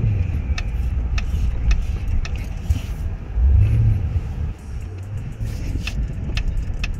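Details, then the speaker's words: Mercedes-Benz GLS 580, about three months old: sharp wooden-sounding knocks from the B-pillar side, roughly every half second over road rumble, as front shocks compress and rebound over bumps, always when entering an underground parking garage. "엄청나게 나 어떤 느낌이 냐 면 차가 이렇게 움 꿍 하고 밑에 앞에 쇼바가 내려갔다가 다시 원복 될 때 똑딱똑딱 이렇게 됩니다"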